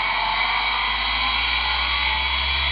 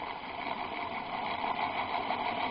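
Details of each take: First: Chinese VFD ZW-BT1 inverter driving the motor from a homemade wood lathe, test run: at 27 Hz it jerked (owner suspects poor bearings), at 50 Hz an even, steady hum and whine with no surging, normal motor run. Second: Used electric motor (previously on a vibration table and lathe) on a ZW-BT1 VFD at about 12–14 Hz: thin steady whine near 1 kHz over uneven hum, running rough and squealing; owner suspects worn bearings needing grease; runs fine at 40 Hz.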